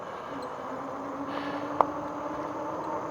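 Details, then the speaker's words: Magicycle Deer full-suspension e-bike while riding: faint thin metal-on-metal squeak comes and goes over tyre hum; rider suspects a loose rear rack or fender, unconfirmed. "it's it's metal rubbing against metal somewhere it's like maybe maybe it's the the uh the rear Rack or something is not tightened up as well as it should be"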